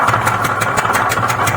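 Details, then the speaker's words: TVS Ntorq BS6 scooter, about 12,320 km, hard to start: sharp regular knocking about six per second over a rough idle, knocking sound from the engine; piston knock. "और जब शुरू मैं खुद ही यह कर रहा था। नॉक नॉक से आवाज आ रही थी और यह बिल्कुल नया है।"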